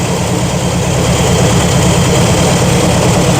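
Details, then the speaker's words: V8 after timing slightly adjusted, idle set slightly higher: deep steady burble, even lope, no knocks or misses; normal idle. "Um, slightly higher than what I had it before, but it seems to work great. Sounds good. She's happy. Ready for the ride."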